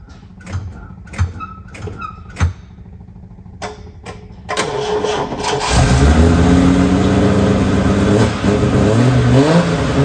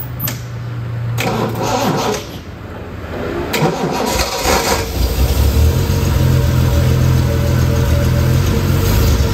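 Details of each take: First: TVR 2500M classic car during a jump pack test: several clicks and short cranking bursts, then catches and settles into steady idle with clean blips; healthy start. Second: Classic TVR whose weak battery could run the fuel pump but not the starter: brief clicks and a failed crank, then a small Topdon jump pack (still at 75%) spins it strongly and it catches into a steady idle.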